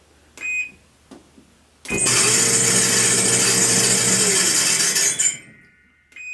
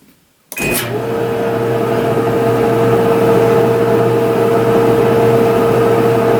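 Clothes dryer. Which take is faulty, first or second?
first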